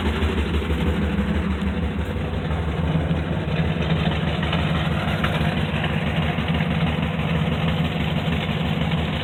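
Heavy idle with a loose, somewhat uneven knock running about three per second under the exhaust drone; engine knock, source unknown.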